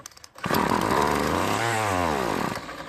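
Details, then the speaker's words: Poulan Pro trimmer, previously serviced with new diaphragm and fuel lines but won't start: on starting fluid it fires, revs briefly with a buzzing rise and fall, then fades after two seconds; fuel delivery/carburetor suspected. "let's go ahead and check to see if it even works let's use some starting fluid and see if it'll run"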